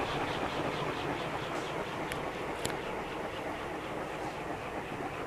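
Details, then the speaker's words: Safer-made Airmaster industrial ceiling fan with steel blades, revived with a new capacitor after stiff, seizing bearings and a blown capacitor. Spin-down after a steady 0.7 A on high. The soft, even whoosh slowly fades with no scraping or ticking. Normal long, free coast-down. "So one thing about steel blades, they take a long time to speed up, and then they will have a long spin down time."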